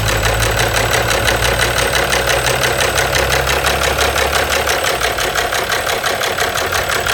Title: Ненормальный стук двигателя